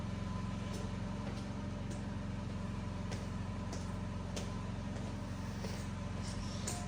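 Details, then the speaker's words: Functional power-out test of a building's standby generator, heard through an open door: a steady low hum with an even, constant drone and no surging or misses; the generator runs smoothly. "I'll leave the door open here so you guys can hear the generator start. Should come on within about 18-20 seconds would be my guess."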